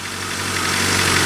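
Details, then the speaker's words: 1991 Honda Civic first start after 10+ years sitting, on a jump pack with no coolant and alternator not hooked up: even, steady low hum with no misses or knocks; smooth normal idle. "It runs smooth. Nice."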